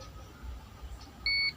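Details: Mi TV (ST3151A09-2-XC-1 panel) with blank display, backlight and sound OK, low AVDD voltage: one sharp high beep on continuity test across removed capacitor; capacitor dead shorted.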